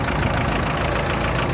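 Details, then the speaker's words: Free Chevy S10 4x4 pickup after replacing leaking vacuum line and fuel filters: steady, even idle with constant beat, no hunting or rpm change; engine a bit loud but running smoothly, vacuum leak fixed. "engine's a little loud so i think we're good no more rpm change we took care of the vacuum leak there"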